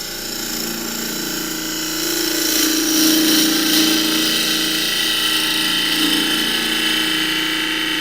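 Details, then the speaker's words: Lathe hollowing an end-grain box in well-seasoned Blakeley's redgum scrap, depth-limited by a magnet leaving about 4mm bottom: steady high scraping cut, bright ringing note shifting lower near solid wood at the bottom; normal clean hollowing cut. "You can hear the note change as I get near the bottom. Get near solid wood, that is."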